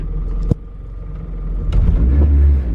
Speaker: See how it gets really loud and rumbly? I don't know why it was quieter in the wagon, but it's louder in this car.